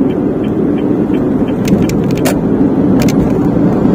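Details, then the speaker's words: Car driving in D, around 2000 rpm at 60–70 km/h, over speed bumps: steady road roar with short clusters of sharp ticks and clicks as the dashboard rattles; the owner suspects the dash is not rigid, source unconfirmed. "Kayak suara ini loh, dashboardnya geter. Nah, artinya kurang rigid mungkin loh ya."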